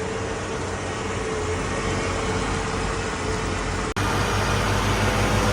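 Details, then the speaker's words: 1970 Ford F100 straight six idling on a battery charger because it isn't charging, before the MAP sensor reference is connected: a settled, steady low thrum with a faint constant tone and no hunting. Stable and smooth. "Currently it's on a battery charger, so it's running okay. It's running stable and smooth."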